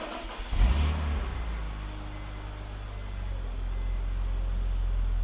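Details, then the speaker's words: Cold start on a BMW E46 330i with stored misfire codes (cylinders 6, 5, 1), lean codes and an EVAP no-flow/leak code: lumpy, uneven "chunky" cold idle with irregular stumble; crankcase ventilation (CCV) suspected, not confirmed. "start with the cold start real chunky Idol"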